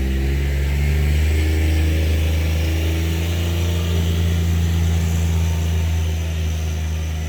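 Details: 2019 John Deere Gator XUV 865R diesel after new synchronous drive belt replaced burnt factory belt (jerky in high range, ~600 miles): steady deep engine drone, smooth even drive tone, no jerks or slipping surges; belt drive pulling cleanly.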